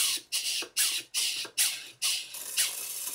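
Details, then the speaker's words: Horizontal Southworth 12-inch boiler feed pump model run on compressed air, drawing from and returning to a water bottle through silicone tubing with a 3/16 copper pipe restricting the return; steady hissing air puffs about twice a second, the pump picks up water and runs sweetly. "can hear the point where the pump starts to pump water and it's now running very sweetly"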